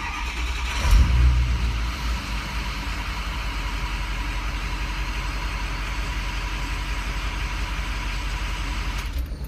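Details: 2006 Ford King Ranch diesel, 102,000 miles, intermittent hot no-start: quick crank catches at once, settles into steady even idle with no stumble; hot restart healthy, fault not reproduced; IPR not maxing out noted.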